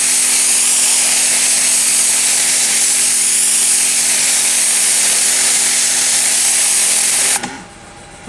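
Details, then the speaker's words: Ryobi 40V pressure washer after repair, water on, on-demand pump running: high steady whine with constant motor hum, even and smooth until switch-off; cooling fan noise also present, pump cycles on and off like a 120 V unit; sounds healthy. "that's very interesting it's it's an on demand pump if you can hear that noise it's just a fan cooling things down but it Cycles on and off much like my 120 volt one see"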